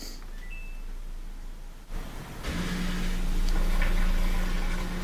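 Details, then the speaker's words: Samsung washer that wouldn't drain, after replacing the drain pump (old pump found full of sand, probably jamming its motor): on spin, a click, then a steady low pump hum and rushing water as the drum spins; water leaves fast, draining normally. "it sounds good, and when I peer in there I can see the water leaving the machine pretty fast."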